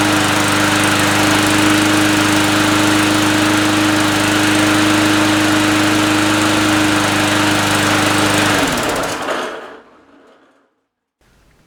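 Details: Briggs & Stratton 300 Series 148cc mower with Pulsa Prime carburetor, about five years old, that ran rich, sputtered and surged, after a carb rebuild: even, steady buzzing at constant speed for about eight seconds, then a clean wind-down; runs smoothly.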